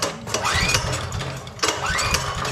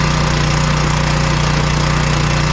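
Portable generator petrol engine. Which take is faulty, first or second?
first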